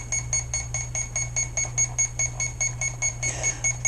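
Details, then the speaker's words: ZippKits R4 FE rigger RC boat, 4S setup, during ESC throttle calibration: steady short high beeps about two and a half per second over a low hum; owner suspects low-voltage warning, unconfirmed. "that might be a low voltage. Let's find out."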